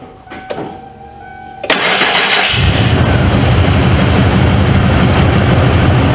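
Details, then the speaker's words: 1995 Ford F-150 V8 barn find, long sat and missing, boosted after dead battery: short crank catches, brief stumble, then steady even rumble with smooth throttle response; suspected carbon buildup causing misfire, now runs smoothly. "now she SM had that little stumble at first smooth throttle oh yeah"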